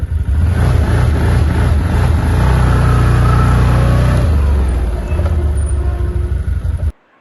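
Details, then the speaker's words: ODES Pathcross 650 ATV, throttle over 50% or pulling away on a steep hill: revs climb then sag and rise again in waves, engine chokes instead of pulling; the dealer called it belt-overheat protection, owner doubts it; rpm surge and bog. "Он как будто поднимает обороты, но задыхается, как будто он захлёбывается. Не знаю, поднима поднимаются обороты и снова пада. Поднимается и падает."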